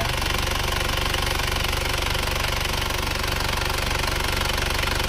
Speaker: suara mesinnya sudah halus Mari kita gas asap knalpotnya sudah bersih banget nggak ada asapnya beda jauh sama yang kemarin hidupnya juga rata